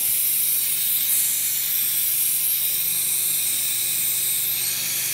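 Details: Rolair JC10 air compressor with brand-new unloader solenoid: after the motor stops, a steady high hiss continues as tank air leaks back; owner suspects the check valve is leaking.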